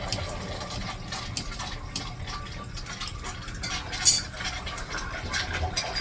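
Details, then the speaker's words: Urinal flush valve after replacement, on city water pressure: steady gush with splashy surges that settles as flow shuts off; new flush valve operating normally. "That sounded fucking wonderful."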